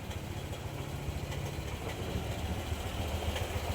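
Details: Honda Click 125i scooter with error code 08 and an intermittent check engine light: idle thumps unevenly at three to four pulses a second, wavering and stumbling, and it dies when decelerating; TPS or throttle suspected, not confirmed; rough idle.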